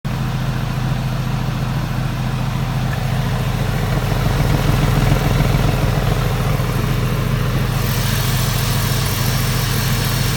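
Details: Porsche 996 with a modified exhaust, currently misfiring in cylinder 2. A deep, loud exhaust idle with an uneven, stumbling beat.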